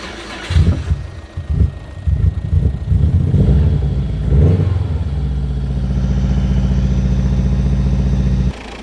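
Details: Subaru Impreza WRX STI GC8 after replacing leaking braided fuel lines with rubber hose, parallel fuel rail, fuel system primed with ignition: handling noise, then engine catches and settles into steady, even idle without misses or knocks; healthy.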